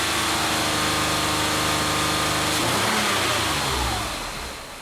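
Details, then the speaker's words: 2005 Mazda 6, warmed up, lean codes P2195/P2197: engine holds steady rev then sags, goes ragged and uneven as short-term fuel trim ramps to 25% and drops; lean stumble, cause undiagnosed. "you can hear the motor stumble too when this drop down happens"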